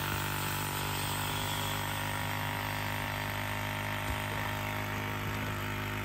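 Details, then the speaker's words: Electric vacuum pump on a 1999-07 Ford Super Duty (7.3/6.0 Powerstroke) with the system reconnected after vacuum-leak diagnosis: steady, even low hum as it builds vacuum normally and should cut off quickly. "i should achieve vacuum here in just a second then we can check everything to make sure that all hvac controls work and all that good stuff and it should cut off pretty quick now because it's not working to make vacuum like it was"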